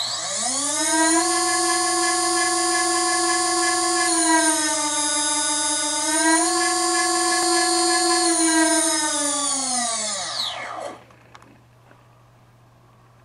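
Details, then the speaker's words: Tritle Douglas DC-6B RC model, first test of four motors running in parallel via ESCs: clean, steady combined whine rising slightly then winding down smoothly when power is cut. Normal running. "That sounded pretty good. There we go. There's 4 motors running in parallel."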